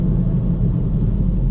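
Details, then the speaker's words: Rear wheel hub bearing on a 2011-2018 Ford Focus, heard while driving: steady deep rumble, vibration and rough road noise from a bad rear hub, which caused flat-spotted tires; hub replaced afterward. "so you'll hear the vibrations in just a minute and the vibrations and the rough road noise is all due to a bad hub"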